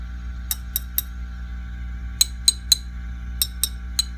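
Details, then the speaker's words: Fender Custom Shop '57 Twin tube amp, power tubes tapped with amp on and controls full up: sharp glassy taps over faint steady hum, no ringing or rattle from speaker; power tubes normal, not microphonic. "these sound louder I don't hear anything from the speaker which is good um these are the power tubes"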